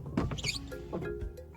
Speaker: вот этот видите скрипт хотя дворники еще не ставя и многие сразу бегут меняют меняет